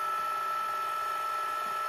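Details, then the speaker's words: Sharp VL-H870 ViewCam Hi8 camcorder after repair of the tape transport, which had ground when ejecting, fast rewinding with half the covers off: a high, steady whir at constant pitch with no grinding, slipping or clicking, rewinding smoothly, louder with covers off. ">> And I mean, it's louder than normal because I got half the covers off, but"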